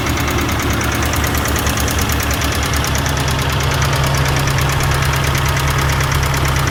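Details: 1990 Ford Festiva after a fuel pump, engine flush, new lash adjusters and rod bearings, and cleaned cam oil passages. Steady idle with a fast light tick about three per second, louder with the oil cap off. Suspected top-end tick, cause unconfirmed.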